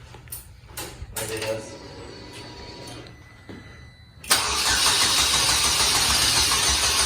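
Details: DF Goblin project car after its first start: a few quiet clunks, then the engine catches and settles into a loud, steady run with no misses or knocks. Normal engine start.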